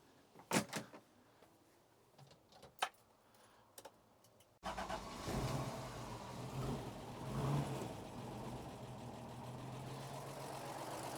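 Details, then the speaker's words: Toyota Land Cruiser 45 series 3FE petrol engine starting with a few clicks and settling into a steady even idle right after tappet adjustment (0.35 clearance), previously very noisy; sounds ten times better, light valve ticking louder because rocker cover is off. "So that actually sounds 10 times better. It will sound more tappy at the moment because the rocker cover's off."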